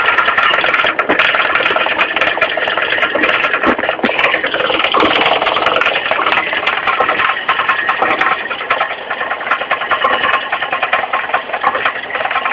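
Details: Mitsubishi 4G15 carburetted engine running: uneven clacking knock about once a second from low at the front crankshaft pulley; loose pulley, fixed by tightening it, not replaced.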